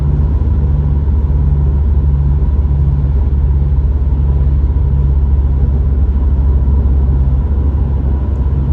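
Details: Subaru STI driving at speed: deep constant road rumble with a faint pulsing drone underneath, a tire or wheel bearing noise, source unclear.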